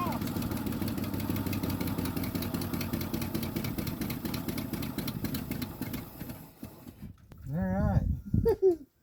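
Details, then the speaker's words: 1976 Ford F-250 V8 with a vacuum-secondary Holley 600-range carburetor, choke frozen open, start after starter repair: lumpy idle with a sharp, fast puffing tick, then revs drop; badly blowing exhaust leak with black soot, rough idle. "you see all the black stuff that exhaust is blowing terribly bad over there so I'll definitely have to fix that"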